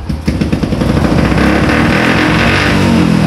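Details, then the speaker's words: Old Yamaha Jupiter MX motorcycle on a cold morning, hard to start, idling unevenly with a stumbling, choking beat; caused by a faulty automatic fuel valve, which was then replaced. "ini agak susah hidup ya teman-teman [Musik] Hai Ndak ado Anoman bisa denger ya suaranya berobat suaranya berbeda temen-temen tuh kayak dia ngecok gitu ya"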